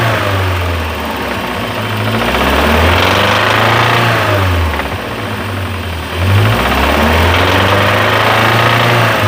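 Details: MG TF, mic on a ledge, started and revved: rough, rapid knocking that grows louder as revs rise, cause not yet diagnosed; owner considers the engine dead; engine knock.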